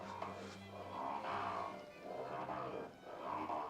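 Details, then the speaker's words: Hand-cranked tool after restoration: rough grinding swells about once a second with each crank turn; no visible tooth damage on the lower gear, upper gear thought not the problem, works despite the noise. "I don't think that it will like explode or anything because of that sound that that grinding sound."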